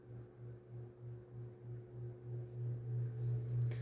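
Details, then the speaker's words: SMC-UB42 ceiling fan owned three years, on high speed: low steady hum with a regular throb about three times a second, louder than before, as it has become noisier lately. Cause unclear. "here's high speed it's gotten a little more noisier lately"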